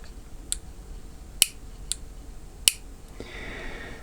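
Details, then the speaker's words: Selector knob of a tankless instantaneous water heater turned by hand: four crisp, clean detent clicks at uneven intervals with no scraping; the click only marks the position and switches nothing, no contacts or electronics inside. Normal selector detent click. "ну это вот для чего он щелкает но просто знать что ты в это положение вы перешли и все а он ничего не включает и выключает"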